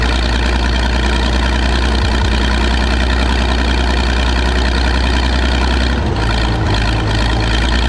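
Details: Michigan 35A wheel loader's old petrol engine, revived after sitting in weeds (broken spark plugs removed, compression restored, a cleaned connection fixed running after running out of gas): steady low-pitched idle, no misses or knocking; running properly again.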